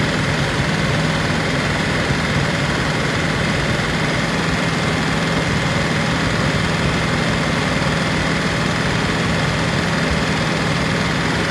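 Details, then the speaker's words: P38 Range Rover V8, stuck valve/lifter after sitting all winter, fresh oil with Liquid Moly and Rislone added, warming up at idle: light fast tick over engine note, worst on right side, louder warm than at cold start; lifter tick suspected. "Now that it's starting to warm up, you can hear the ticking from the lifters. So, didn't hear it as much when I first started her up, but hope the mic is picking this up."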